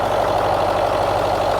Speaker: So the engine sounds sweet as a nut.